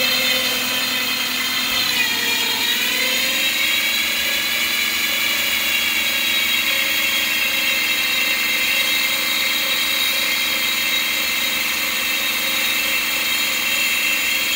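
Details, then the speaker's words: 2007 Lexus GS450H hybrid with 226k miles: steady high whine over the running engine, dipping then settling. It seems to come from the back side of the engine, and the owner suspects the generator. "It sounds like it's coming from the back side of the engine, down in there. I'm thinking it's a generator issue. Not happy."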